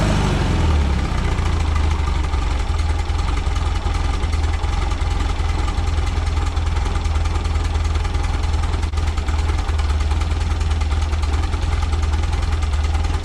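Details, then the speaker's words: 1976 Volkswagen Westfalia bus, air-cooled type 4 engine with newly fitted dual Weber 40 IDF carbs (no chokes), cold start, accelerator pumps still needing tweaking: steady, even low rumble at idle, no misses, knocks or hunting; healthy. "cold start again idf's do not have chokes so we're gonna fire it up and I still need to tweak the accelerator pumps a little bit"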